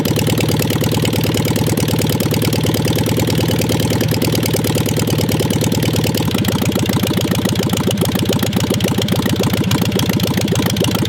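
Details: 1958 VW Beetle ragtop, likely non-original 36 hp air-cooled flat-four, sitting since 1983: ticks over with a lumpy, slightly uneven beat and some pitch change midway, running but not yet smooth; rough idle after long storage.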